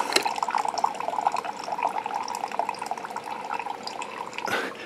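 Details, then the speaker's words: Keurig 2.0, probably about two years old, leaking from the bottom, 4 oz test cup with covers off; irregular splashy trickle of water dripping from the open port where the brittle, disintegrated high-pressure relief valve was, no motor noise. "remember before it was leaking i can already hear it coming out of the cup so before looking right from that hole right there you can see where the drip is coming from"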